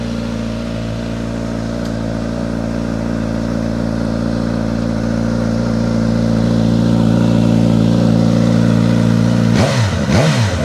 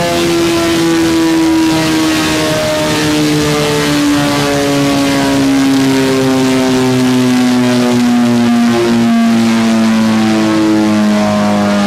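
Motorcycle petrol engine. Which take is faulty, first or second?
second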